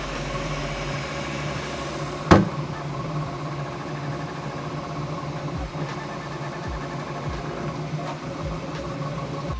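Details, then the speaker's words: Bambu Lab P1S 3D printer: continuous motor hum with shifting stepper tones and light clicks as head moves; normal printing noise. "so that was pretty loud and that is a sound that I'm very used to with having a lot of 3D printers standing in my studio right here"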